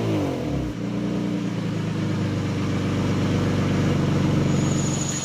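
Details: Lexus SC300 before repair, leaking exhaust mid pipe: choppy puffing exhaust note at about four pulses a second that rasps as revs climb; exhaust leak, later fixed with a Toyota Supra TT mid pipe.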